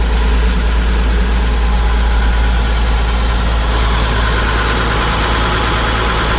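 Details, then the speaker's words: Massey Ferguson 550 diesel tractor idling after its first start since 2019, following a shot of ether at the air cleaner: steady, even low rumble with no misses or knocks; normal healthy idle. "all right there we go idling good we're going to shut her down and then check some other things"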